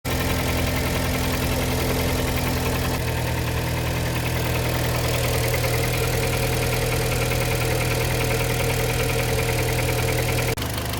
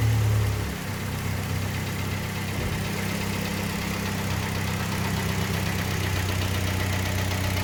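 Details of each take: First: Kia Sportage 3, 122,000 km, cold engine before service (oil change, throttle and injector cleaning): steady cold idle with a dull metallic knock about three per second; knock disappeared after service, timing chain replacement planned. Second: Kia Sportage 3, 122,000 km, warm engine after service (oil changed Shell 5W30 to NGN 5W40, throttle body and injectors cleaned, filters replaced): smooth even idle, earlier dull metallic knock gone; timing chain due for replacement.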